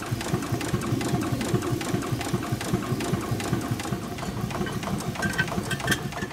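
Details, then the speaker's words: 4.5-inch scale model showman's traction engine, first steam run of the year on low pressure: soft, even exhaust chuffs after an earlier forward-gear squeak, suspected from cylinder rust, stopped once lubricator oil circulated. Running sweetly. "in no time at all it was running quite sweetly"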